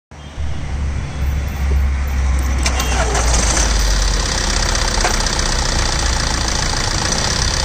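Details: Tata Safari LX: engine catches quickly, then settles with an uneven clatter over idle that rises with revs; engine noise, source unclear.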